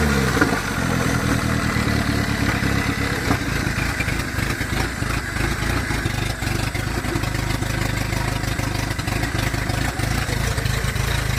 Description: My 1981 te72 corolla with a Nissan ka24de. Has hi comp sohc pistons, open downpipe, and unfortunately a knock.